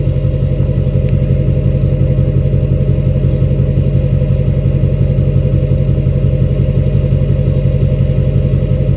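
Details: 2006 Chevy Silverado LBZ Duramax diesel, revved in neutral with new 5-inch straight pipe, flow-through muffler and DSP5 tune to show turbo spool; deep, even drone with steady beat, no knocks or rattles; normal neutral revs.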